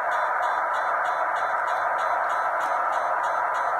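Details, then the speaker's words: Yaesu FT-891 receiver: sharp, even ticks about three per second over receiver hiss, timed exactly with a logging program polling the radio and easier to hear with RF gain adjusted. Digital interference; Yaesu says it meets factory spec. "this sound is precisely in time with the computer interrogating the computing interrogating the radio"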